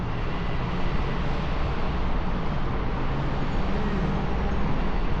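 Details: AAON rooftop unit condenser fan after the broken rain shield (slinger) was replaced and the slow-starting unit came on: even, low whooshing rumble holding steady with no banging or rattling; the earlier bouncing racket is gone.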